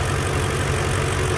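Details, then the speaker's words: BMW E46 with M62 V8 swap, cold at idle before warm-up: the knocking/rattling from the left bank is gone, leaving only light fast fuel injector clicking over a steady, even idle; normal injector tick. "the rattling noise is gone um what you can hear now the fuel injectors clicking away"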